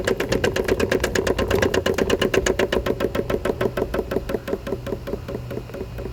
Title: Electrolux LPE17 com barulho na suspensão